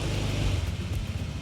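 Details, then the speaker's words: Honda ADV 160 scooter, about 1,000 km, after CVT service following judder from Bromo dust and overheated, scored CVT bowl; light throttle blip rises and falls evenly with only mild shudder, smoother take-up than before. "lebih halus. Udah enggak gredek gredekan kayak kemarin. Walaupun masih ada getarnya, tapi enggak segredek yang kemarin sih."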